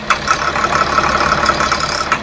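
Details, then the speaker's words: Tata BS4 diesel bus that stalls under passenger load, gives black smoke and knocks; revs fully but smokes and sounds rough, irregular hard knocks at idle; injector wiring found burnt and shorted. "पूरी complete करके race पूरी ले रही है मगर धुआ दे रही है गाड़ी और आवाज बहुत गंदा कर रही है"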